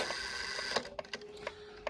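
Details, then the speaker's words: Serviced 1800s kitchen clock striking with cotton stuffed in the gong by owner and leather removed from strike hammer: dull soft tapping strikes over light ticking, no ring or sustain; muffled gong strike. "So that's the way it sounds. To me, that sounds pretty sick. But she does want it to sound that way."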